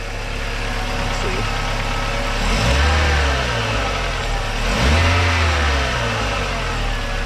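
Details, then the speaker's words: Bright yellow VW Golf Mk3 GT Special Edition, engine bay view, runs rough: uneven, lumpy, wavering idle with a couple of brief rev blips; water pump looks new, cause not identified; car rusty, to be gutted. "a bright yellow mark iii golf gt special edition very cool kind of runs like crap now"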